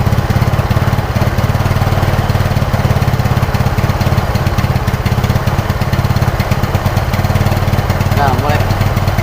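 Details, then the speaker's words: Yamaha Mio Sporty scooter after carburetor service, engine hot, half throttle: uneven, stumbling beat with brief dropouts. Misfire appears only when hot; CDI swapped to test. "di sini belum dia ketika mulai panas Nah di sini mulai mulai kedengaran ini udah semua disaat mulai setengah gas"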